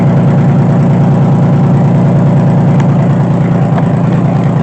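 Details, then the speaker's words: 2005 Honda Pilot just started after oil was poured into the low-compression cylinders, no coolant yet: deep, steady idle thrum of about two beats a second, heavy oil smoke, no knocks or misses; runs healthy. "Oh boys, there's the smoke everywhere. Oh my gosh, look at that. Woo! But it runs."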